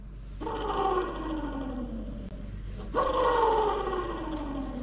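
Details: Hand-spun worn bearing removed from a Mercedes B-Class Electric Drive (Tesla-built) motor, replaced, gives a hollow rumbling roar dropping in pitch as it coasts down; wear on one side.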